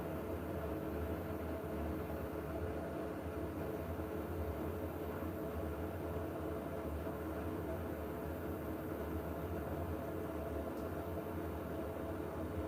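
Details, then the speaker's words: Newly installed Siemens machine running very quietly with a faint constant high-pitched whine over soft hiss, like an electric bus, more prominent than the previous Siemens; nothing rough or knocking, normal motor sound. "This one's got a more prominent pitch if that makes sense. Like a a whine."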